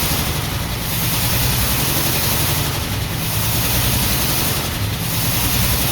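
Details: 1949 Ford F1 with owner-rebuilt engine, first run after sitting 20 years, choke partly on, fuel pump on, no working water pump: lumpy, uneven idle with a steady skip under the exhaust rumble; owner says it is missing on one cylinder.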